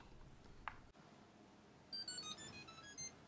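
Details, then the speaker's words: Zynect LoRaWAN sensor (Thermote/Soilmote) plays a quick tune of about a dozen high electronic tones when reset by holding the magnet on the reset spot. "oh that was your nose that was a cute noise that's cute noise"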